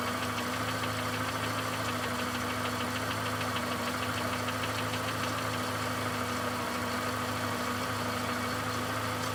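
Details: VW Golf 5 Plus with BSE engine at idle: light, fairly even tick-knock at roughly 98 per minute; engine knock of unclear cause.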